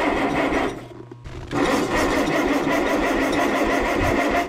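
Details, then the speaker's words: 1957 Allis Chalmers IB tractor left sitting a couple of years in snow, with no fuel added yet and a block heater used. Rapid rasping starter whir that stops, then cranks again without catching. A bad solenoid was found afterwards. Cranks but won't fire. "turns out a bad solenoid can give you a bad day so let's see if i'll fix this issue"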